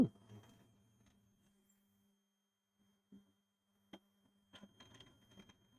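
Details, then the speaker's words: TEVO Tarantula Pro 3D printer auto-homing with A4988 stepper drivers: steady droning low hum with a few sharp clicks near the end; loud stepper noise, very wobbly lead screw noted. "oh wow 4988 steppers Baby"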